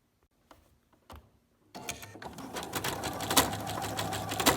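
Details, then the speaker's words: Sewing machine with thread pulled out of the take-up lever: few slow hand-turned clicks, then uneven, clattery stitch rhythm that sounds like a bobbin problem, causing looping on fabric back; unthreaded take-up lever. "You can hear that there's a problem. So when you turn it over, what it sounds like is that there's a bobbin problem."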